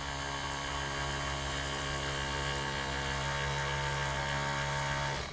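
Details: Small 12 V 5 A pump (about 1.2–1.5 gpm, cutoff up to 80 psi) hooked to a lawnmower: whirs steadily with a buzzy motor tone, slowing as pressure drops, then cuts off abruptly; normal running.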